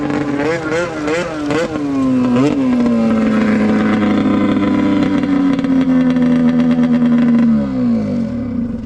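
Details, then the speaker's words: Arctic Cat F7 snowmobile two-stroke ripped at full throttle after snuffing out on the stand and getting fresh oil-fuel mix; owner feared it was grenaded. Winds up through quick blips then holds a clean steady high wail; pulling strong and healthy. "Well, it ain't blowing up. That sounded like it was hauling the mail right there. Amazing what'll happen when you got oil in the fuel."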